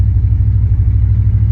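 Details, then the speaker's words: 1989 Chevy Silverado towing a 1951 Ford pickup on a long trip; deep low rumble under load with an uneven, lumpy pulse, running rough while pulling. Owner believes it is fuel related and plans to clean the fuel filter. "Come on, honey. I know you're running rough. Just keep doing it."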